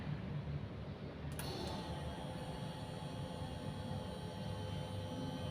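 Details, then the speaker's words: Fuel pump of a Yamaha Injector Tester during injector cleaning on a Yamaha injection scooter: steady electric hum with thin high whine switches on and holds even; pressure gauge needle rises as the pump pressurizes the injector; running normally. "Pada pressure gauge ini, jarum ini dia akan naik, berarti fuel pump yang ada di alat ini dia akan menghasilkan tekanan tinggi pada injektor."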